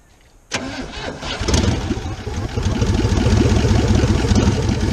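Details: 1977 Chevrolet K20 4x4 V8, last driven 2001, cold: cranks, catches and runs lumpy with a skip every few firings, on only four cylinders; spark plugs first suspected, testing found the real cause.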